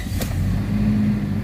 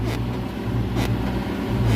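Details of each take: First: Toyota Fortuner 2.7 petrol, which had a check-engine light and an unresponsive throttle, after a new throttle body was fitted: the warning light is now off and the engine settles to an even idle with no stumble; normal idle. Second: Toyota Fortuner 2.7 petrol with check-engine light on and unresponsive accelerator: low uneven rumble and thumps, stumbling and jerking around 1,800–2,000 rpm, will not rev when throttle pressed; cause unknown.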